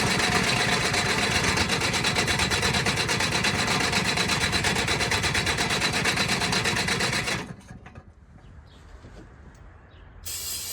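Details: Off-road machine with a fuel pump, usually hard to start after sitting about a month, fired with ether and a jump pack: fast, steady buzz for about seven seconds before shutting off. Runs pretty good; normal running.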